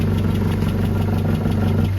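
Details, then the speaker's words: Land Rover Series 3 at idle: steady low idle with a faint irregular knock, seemingly from a loose panel near the wing; owner unsure of source, not confirmed. "there's a knock somewhere I"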